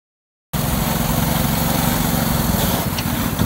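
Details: 7.25-inch gauge RL306 light loco on a test run after a lay shaft repair; a broken taper-lock sprocket had been jamming it, not the gearbox. Starts and chugs at an even rhythm with no grinding or clunks; normal running.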